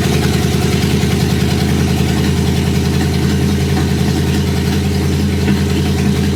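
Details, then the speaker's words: Porsche 928 V8 at idle on a homemade stainless exhaust with no rear silencers and no front box fitted yet: deep, loud, throbbing open bark with no muffling, measured at about 90 dB against 35 dB ambient. "Okay, 90 decibels. Actually better than I thought it was going to be. It actually sounds quite cool."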